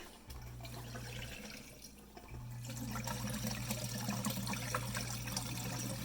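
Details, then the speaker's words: Dishwasher that would not drain, after clearing a clog from the air gap drain pipe, drain cycle run: water rushing and gurgling steadily through the drain line over a low pump hum; draining normally after the fix. "hear that water right you can't really see anything and then we get my flashlight you know I can't actually I don't think you'll be able to see it on camera but I can see some water flowing there and I can hear it"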